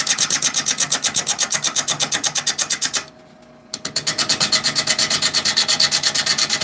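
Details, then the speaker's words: Woodturning a cherry bowl on the lathe: the gouge first hits only the high spots of the out-of-round blank, rhythmic scraping about three pulses per second, becoming a more consistent sound once it cuts all the way around. "So you can hear it as it, when I'm first hitting, it's only hitting certain spots. And then as it goes all the way around, it's more consistent sound."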